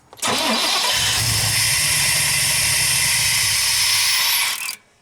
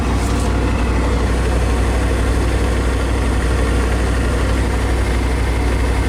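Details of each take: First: 1993 Chevrolet 3500 wrecker, 5.7L 350 TBI, 5-speed, first start in years: steady starter cranking about four seconds, engine turns but never fires; fuel pump not running, suspected failed pump with rusty tank, runs when gas poured in. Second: 1993 Chevrolet 3500 wrecker, 5.7 350 TBI, idling at first start in years: deep steady idle for ten seconds with no stumbles, ticks or knocks, no smoke, good oil pressure assumed; running smoothly.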